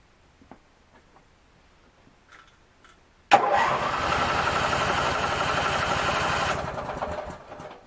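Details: Craftsman 19.5 riding mower after ignition switch replacement and refuelling: after a silent wait it fires immediately and settles into a steady, even single-cylinder run with no misses.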